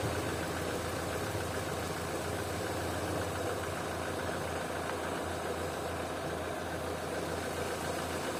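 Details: Opel/Vauxhall with an intermittent high idle of 2000–3000 rpm, idling normally during a water-spray vacuum-leak test: a steady, even idle with a smooth low hum, no hiss and no hunting; no vacuum leak found.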